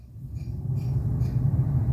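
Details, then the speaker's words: Maruti Alto 800 cabin A/C blower after removing debris lodged in it because no AC filter was fitted: low, steady airflow rumble builds smoothly with no ticking or fluttering; normal blower sound. "सिर्फ blower का जो normal sound होता है वो sound आ रहा है।"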